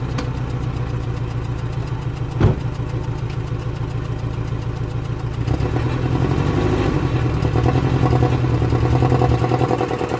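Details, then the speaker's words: Nissan 240SX (S14), engine in good shape, stock muffler with resonator delete, rolling slowly from driveway into garage: steady low raspy exhaust drone rising slightly as the car moves; engine runs smooth and healthy, exhaust loud but normal. "so yeah that's how it sounds nothing crazy it's literally the stock exhaust with the resonator delete"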